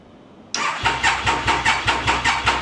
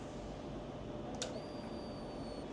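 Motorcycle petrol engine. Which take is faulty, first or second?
first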